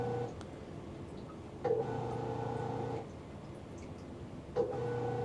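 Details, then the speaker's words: Magic Chef 1.7 portable washer after five years of regular use, lightly loaded: quiet electrical hum starts, stops and restarts as water fills, but the drum never turns; the motor won't spin, washer broken. "This is the part that I was waiting for. It's not moving. You see how it's making that noise? This is supposed to spin. And it's like the motor. The motor won't spin."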